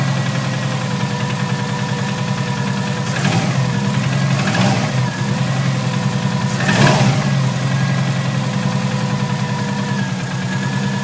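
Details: Subaru Impreza NA engine, mechanically tuned, possibly overboosted during hard driving: cold-start idle with a steady low drone and uneven deep knocking underneath; rod knock or a bent rod suspected, on bank one (passenger side).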